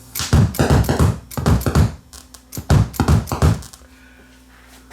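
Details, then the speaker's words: Viking SC5894 8-track recorder stereo: record/play switch sprayed with cleaner and worked back and forth; dull heavy thumps burst through the speakers with each actuation as switch transients reach the amplifier, visibly moving paper beside the speakers. "So when I press that record play switch, watch the paper that's sitting beside the speakers. Like, look at the speaker grills."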